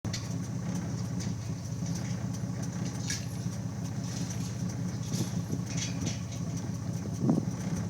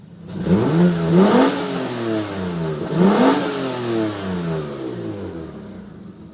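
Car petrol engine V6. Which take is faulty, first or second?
first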